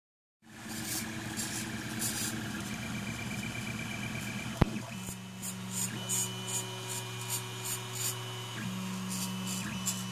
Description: Not sure where the sound comes from, but it seems to come from the extruder gears. No sound when moving the XYZ axes.